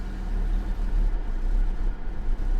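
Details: 1990 Mercedes 560SEC (W126), 29 years old, after new spark plugs: low, uneven idle, engine note sagging and stumbling until it stalls; tip-in hesitation still unfixed, cause unknown.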